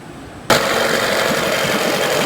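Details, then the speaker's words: 1992 Evinrude 15 HP outboard (E15RNM), run in a test barrel after compression and spark (good on both cylinders) checks, reported to slip out of gear; catches instantly, crisp two-stroke burble with no misses: normal idle. "As you can see, she runs great. So next step is to take her out on the water and see if she actually does slip out of gear and do the repair job."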